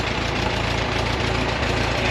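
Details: 1945 GMC CCKW353 6x6 carrying a Bantam T35 crane, LeRoi four-cylinder gas engine, restarted after 8+ years sitting: low, steady, even chugging with no knocks. It runs smooth, with good oil pressure despite a little blow-by.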